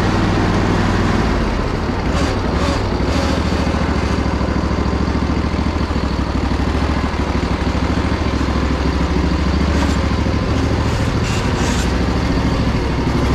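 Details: Poulan Pro zero-turn mower, sat about a year or more, with blades engaged: steady engine drone holds even through forward and reverse, quiet muffler, no spindle grinding or bearing noise; runs surprisingly well despite its rough condition.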